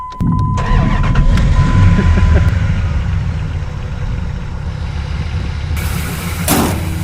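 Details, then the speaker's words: Truck with a whine under the hood and voltage dropping out, suspected alternator, being swapped: brief crank, catches right away, settles into a steady, even idle with no whine; runs. "that's it it runs I guess we can leave town"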